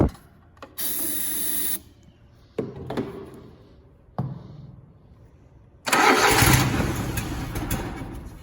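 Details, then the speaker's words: Zero-turn mower, Grasshopper or Toro, probably sitting about four months: starter cranks in short bursts without catching, then fires and runs roughly on external fuel sprayed into the intake; fuel starvation from stale carburetor fuel. "it probably needs just a little bit of help getting it primed back up, and probably has a little bit of stale fuel in the carburetor."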